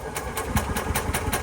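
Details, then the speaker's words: Club Car golf cart with Subaru petrol engine, quit after sitting 6 months with old gas, in neutral, battery 13 V dropping to 11 V: steady starter churn at about five pulses a second but never catches; blinking code 31, no fuel pump heard. "And you can hear the engine. The engine it's turning over, but not cranking up."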